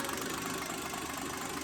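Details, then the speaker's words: Toyota 2H diesel (automatic, R801 12H 9.5 governor, 12HT boost-compensation AFC) idling while warming up: steady, even clatter with no uneven knock; a healthy, smooth-running idle. "I guess, while we're getting this sucker warmed up, mate, um just appreciate the sound of a good 2 H."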